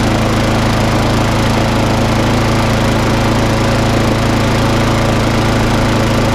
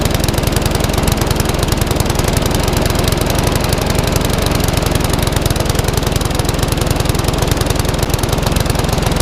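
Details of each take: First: Briggs and Stratton lawn mower, previously failing to start and running very rough due to bad fuel in the tank, run up after a quick repair; steady even buzz, no misses or surging; normal running. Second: Classic Briggs & Stratton 3.5 hp mower (red one) just started after servicing, previously tipped on its side with fuel over the carburetor: single-cylinder popping steadily but slow, slightly lumpy; owner may change top governor spring.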